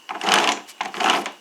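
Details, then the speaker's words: Toro 22-inch Recycler mower, possibly 2009, rear wheel turned by hand after the pinion/plastic gear stripping fix, old wheel fitted: short even whirring with no clicks, pops or catching; the gear meshes smoothly, though the wheel turns slightly stiffly. "so it's freely moving it's not popping it's not clicking it's a little bit harder to move"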